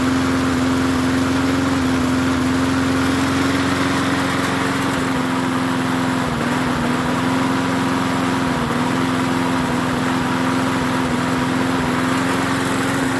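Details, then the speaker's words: MTD 22-inch push mower 11-A084E029 after priming, running a steady buzz with brief sags in speed even though the spark plug wire was never hooked up; running with plug wire disconnected. "I don't have The Spar plug hooked up look I don't have the car CL hook that block I didn't hook this park plug [Laughter] up"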